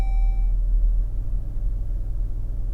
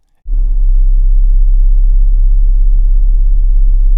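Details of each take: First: New 2026 Chrysler Grand Caravan SXT, cold start heard in cabin: soft steady low rumble after a chime, calm with no droning boom; the ~32 Hz booming appears only once warm, braking in Drive or Neutral. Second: 2026 Chrysler Grand Caravan SXT, warm engine, brake on, transmission in Drive: a deep, steady booming rumble in the cabin at about 32 Hz, very low and even. It is quiet when first started cold; cause unknown.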